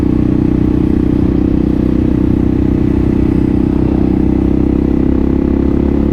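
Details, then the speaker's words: Kawasaki KLR650 single, rebuilt project bike, fully warmed up, riding with wrapped exhaust: pulls hard with steady even thump at high revs, no stutter or misfire; runs clean under load. "bit woo it doesn't even stutter at high RPMs so that's after being completely warmed [Music] up"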